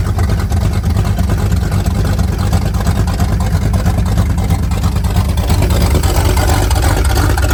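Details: 1978 Pontiac Firebird base model with 305 V8, abandoned since 1989, first run after priming: deep steady V8 rumble at an even, loud idle with no knocking or misses; old engine runs healthy.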